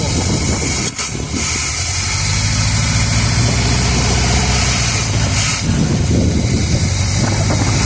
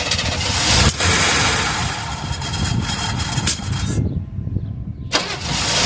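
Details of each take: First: 1978 Chevrolet Custom Deluxe V8 truck sat 21 years, just started, run briefly with no coolant: low, even, steady rumble with no knocking or ticking; normal smooth quiet idle, though accelerator pump seal leaks fuel. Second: 1978 Chevrolet Custom Deluxe truck after sitting for years, previously stuck engine: long loud cranking that won't catch, a pause, then more cranking; carburetor had a little water in the bowl, flooding from a sticking float. Extended cranking, hard start.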